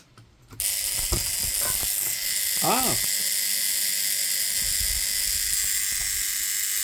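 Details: Wapa 7a high-frequency healing device after adjusting interrupter pressure, which had been too strong: a few clicks, then a steady, bright, high-pitched buzz holding evenly; interrupter running smoothly and properly set, repair successful.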